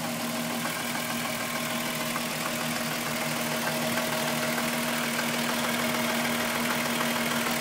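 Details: VW Golf VR6 2.9, 103,000 km, steady idle: a light, fairly regular metallic ticking and rubbing over the engine hum. The owner's chain rub got louder after replacing the upper hydraulic tensioner screw. Timing chain rubbing suspected, not confirmed.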